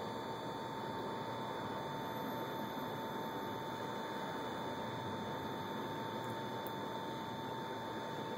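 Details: PS3 console running: steady thin whine over an even hiss. It sometimes fails to load or warns that system files may be corrupt, then works after a scan but keeps making the noise. Abnormal running noise, cause unknown.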